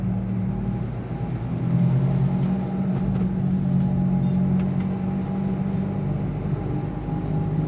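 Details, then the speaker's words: Nissan Sunny while driving: a steady low humming drone under road noise that grows louder as speed rises and persists in neutral, with noticeable vibration while the engine itself sounds normal; worn wheel bearing hum. "तो गाड़ी में problem है गाड़ी जब चल रही है तो इसमें हमिंग साउंड आ रही है"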